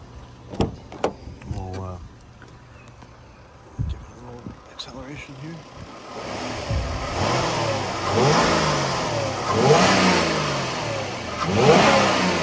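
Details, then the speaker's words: 2009 Kia Rondo EX V6 engine at idle, then revved a few times: picks up cleanly in smooth, even blips and settles back each time with no knocks or rattles; healthy. "all right I'm gonna stand here for maybe 10 or 15 seconds let you listen to it at idle and then I'll rev it up a little bit"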